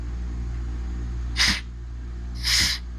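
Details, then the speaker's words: Eclipse CMC pneumatic clamp air cylinder operated by manual override: over a steady compressor hum, two short sharp hisses about a second apart as air vents from the exhaust; normal. "can see all the, and you can hear the air come out of the exhaust."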